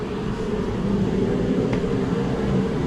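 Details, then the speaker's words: 1987 Chevy Silverado with Flowmaster Flow FX muffler (X-pipe design inside) at idle: deep, steady V8 burble with even low rumble, no misses or ticking; normal, healthy exhaust note. "kind of like it's an X-pipe design inside, but it's a Flow FX. It's by Flowmaster. They're supposed to sound really good, and it does sound pretty good, I think."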